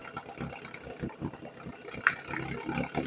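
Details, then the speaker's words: 1981 Evinrude 7.5hp two-stroke outboard after carburetor cleaning, fuel line disconnected to run the float bowl dry for storage: low idle goes ragged with uneven missing beats as it is about to die from fuel starvation. "Now I'm going to go ahead and disconnect the fuel line and let that idle down. And as soon as that bowl's empty, we shouldn't have any more issues with it, you know, drying up inside the carburetor. And it sounds like it's about to go."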